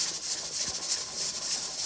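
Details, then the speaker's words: Pressure canner processing home-canned black beans, heat pulled back from full to about medium once near pressure after a 10-minute vent: steady high hiss with an even, gentle pulsing as the jiggler weight rocks steadily at the correct pressure. "And that's the correct amount of jiggling you want to see. You want it to be a steady rocking."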